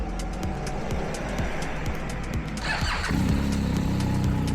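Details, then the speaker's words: BMW R1250 GSA that won't start when hot. Starter turns the engine over unevenly and laboriously for about three seconds before it catches; voltage drops to about 9.6–9.7 V while cranking. Slow cranking from a weak battery; charging system is fine at about 14.3 V. "Okay, so now it says that if it is less than 10 V, battery weak or starter drawing too much current."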